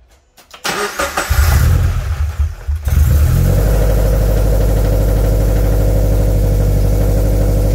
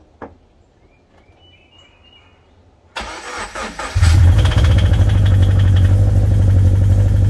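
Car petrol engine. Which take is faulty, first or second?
second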